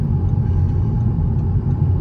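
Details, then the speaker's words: Audi S3 8P TFSI engine after it blew up at high speed following oil pressure loss: heavy, rough rumble with loose metallic clatter like a bag of nails, internal damage. "sounds like a bag of nails"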